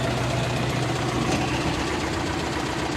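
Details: YuMZ-6 diesel tractor, not yet run in, warmed up after ploughing wet spring soil, at idle (oil pressure about 1.5-2 at idle): steady even diesel clatter, no stumbles or stray knocks; normal warm idle.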